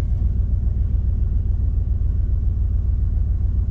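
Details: 2000 Dodge Ram 1500 just fitted with a replacement programmed engine computer, where the previous one ran rough and died after 15-20 seconds: a deep, steady low rumble with an even beat and no misses, stumbles or knocks; a normal smooth idle.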